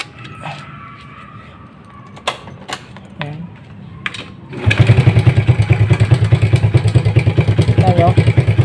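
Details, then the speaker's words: Rusi 100 motorcycle that backfired, hard-started and wouldn't idle despite a cleaned carburetor and new throttle cable: after fitting a new C7HSA spark plug, a few clicks then one-kick start and steady idle with no backfire; engine still noisy, spring pending. "Ayan. So tumino siya non. Wala na yung backfire sumandar siya."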